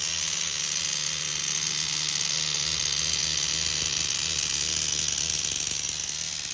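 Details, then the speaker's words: Tamiya TGS-R nitro RC car with OS 12CV engine, reinstalled after inspection for a suspected rod bearing noise: high steady buzzing scream, no stumbling or clutch drag; running clean and perfect. "No clutch drag, nothing. Running perfect."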